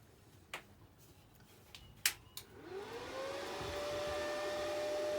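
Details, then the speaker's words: Parkside Lidl plasma cutter switched on, microphone right next to the unit in the same room as the compressor: switch clicks, then a whoosh that climbs and settles to a steady hum; the fan running normally. "I'm standing right next to the unit itself, which obviously has its fan going, and the plasma itself will create a loud noise."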